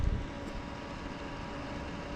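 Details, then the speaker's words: Newly installed 55 amp power-center converter in a travel trailer, output reading 13.7 volts, replacing an old unit: low, even hum with a faint steady whir, no rattle or surging; converter fan running normally. "13.7 volts. The fan is going right now on the converter."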